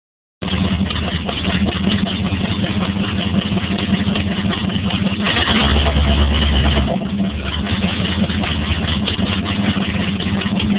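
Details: Stingray 350 Magnum V8 first startup after rebuild: steady, even rumble with one brief mid-range rev that settles cleanly back down; runs smooth and healthy.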